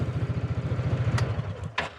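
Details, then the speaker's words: Coleman UT400 UTV after fuel pump replacement; pump under the seat primes when key turned on, then engine fires right away and settles into an even, steady putter at idle, normal start with no fuel delivery trouble. "That is your fuel pump taking fuel out of your gas tank and pressurizing it into your lines. So when you turn the key all the way, fires up with no problem."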